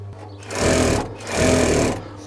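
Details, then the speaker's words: Circa-1967 Singer 366K225 industrial plain sewing machine with clutch motor running constantly, slower 1725 RPM motor: two smooth bursts of even, rapid stitching over steady motor hum, no knocks; normal operation. "that the motor's running here buzzing away that's because the motor itself runs when you've got the machine turned on and it relies on a clutch mechanism to engage the uh machine"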